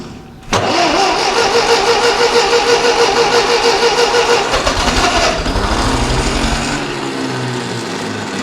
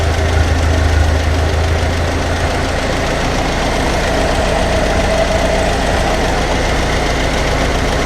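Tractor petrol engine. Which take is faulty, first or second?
first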